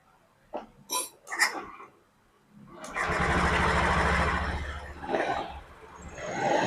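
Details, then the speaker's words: Honda Beat FI scooter engine rebuilt after running out of oil wrecked piston and connecting rod; rocker arms refitted correctly (exhaust side with decompression ridge). A few start attempts, then catches and settles into an even steady idle, revving cleanly; engine now smooth, no noises. "Untuk mesin sudah oke ya, mesin sudah halus, ditarik gasnya juga sudah enak, nggak ada yang berbet nggak apa."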